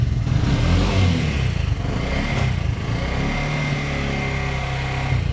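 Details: Bajaj BS6 single-plug motorcycle burning half to three-quarter litre of oil daily, tappet noise suspected: idles with uneven rough mechanical chatter on the exhaust beat; camshaft rocker found seized.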